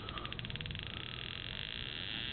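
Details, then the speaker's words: Ignition unit on an RC-EXL spark tester powered by an A123 pack: fast even snapping sparks at steady rate settling into a buzz at idle and mid-range simulation; normal ignition spark. "of course you can hear and see the spark so you have a an idle simulation mid-range you can hear"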